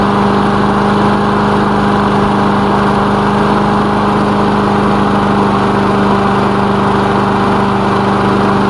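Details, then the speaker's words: Lawn mower engine after repair, oil recently changed, initial test run with the elevator off; steady even drone at constant speed, no misses, knocks or surges; running fine, normal. "as you can see it's running fine let's give it a minute"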